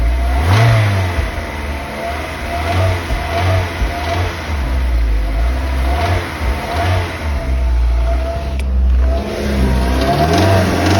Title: 2008 NC miata knocking noise